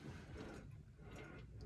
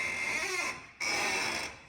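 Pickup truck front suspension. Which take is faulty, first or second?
second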